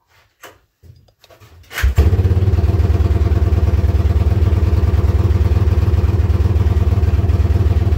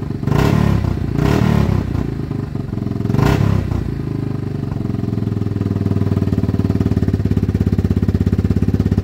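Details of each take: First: Yamaha Wolverine ATV, running poorly, started before any repairs; exhaust has holes: short cranking then lumpy, smoky thumping idle about four beats a second, loping and bogging; rough idle later traced to a faulty handlebar switch, unplugged to fix. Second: Yamaha Wolverine ATV, single cylinder, after cleaning the carb, fitting a new plug and checking the air filter. Its bogging was traced to a faulty handlebar switch, which has been unplugged. It revs up sharply and returns to an even idle with no bogging.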